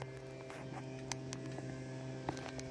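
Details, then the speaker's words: Telephone line with MF-to-pulse dialling, picked up off-hook: steady low buzzy hum with faint crackle, caused by the exchange's noisy central office battery supply, which is unpredictable. "off the battery let me go in the quest do you hear it I think you could hear it yeah it's the noisy central office battery supply this central office supply it's totally unpredictable"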